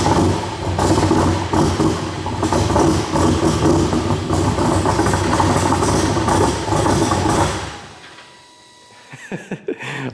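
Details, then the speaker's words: Nissan S15 at startup before the fix: lumpy, stumbling idle with uneven chuffs about four a second, then it cuts out, misfiring heavily and throwing smoke. "you guys can clearly see the car sounds horrible it's just misfiring like crazy it's just throwing all kind of smoke out"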